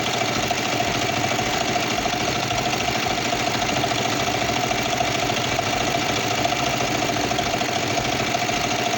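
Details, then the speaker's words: Kawasaki Vulcan 500 twin at working temperature, before carburetor synchronization with vacuum gauges; steady idle with a slightly uneven beat as the carburetors still need balancing. "Okay, so now we have the bike at working temperature and we're not going to start it. And we start to synchronize the carburetors."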